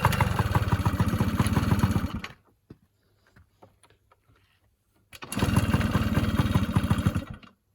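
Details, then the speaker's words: Yamaha PW50 two-stroke after a top end rebuild, needed for failed oil pump oil starvation and low compression; head torqued to 10 Nm, heat cycled, head nuts retorqued: crisp even buzz, starts readily, runs steady, restarts cleanly; normal running. "But starts up absolutely lovely, runs beautiful, and hopefully my mate will"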